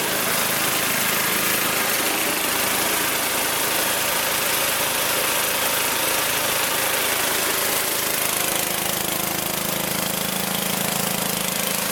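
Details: Magna air compressor with a Briggs & Stratton engine from at least 1983, sat 5 years, first start on the carburetor alone without carb cleaner: fast, steady, even run with a bright buzzy exhaust, no stumbling, reaching 100 psi; normal running.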